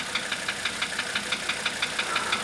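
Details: 1985 Mercedes 300D diesel at idle: a sharp, even metallic tick about six times a second rides over the idle. This was heard after a starter rebuild, valve adjustment and new glow plugs, with diesel purge running through it. Knock cause unknown.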